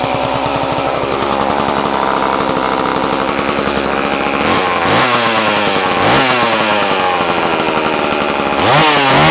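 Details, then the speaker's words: Homelite chainsaw after sitting a long time, carburetor cleaned, cold start on choke: fired first pull into a crisp, steady two-stroke buzz that rises and falls cleanly with throttle blips. Runs strong and normal. "Wow. Fuck me, that surprised me, Christ. Never expected it to start like that. Fired first pull."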